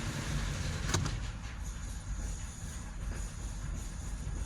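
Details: 2015 GMC Yukon 6.2 L with a collapsed lifter and misfire: low uneven idle rumble that sags and stumbles as if about to stall; downstream catalytic converter glowing cherry red and plugged, choking the exhaust, causing rough idle.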